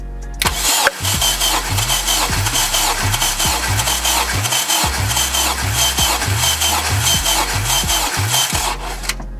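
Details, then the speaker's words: Boosted 571whp K20Z3 in a 2011 Honda Civic Si, during a dry compression test on cylinder 1, cranked about 10-12 times. The starter beat is steady and even with no weak strokes, and the cylinder read 240. Normal compression. "When I crank my motor, I do it for like 10-12 times. That's just me."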